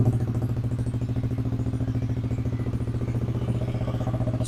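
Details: Yamaha Aerox (old model) scooter after body wiring harness repair, battery 12.5 V, charging system normal: even, steady putter with regular low pulse, nothing knocking or rattling; idling cleanly.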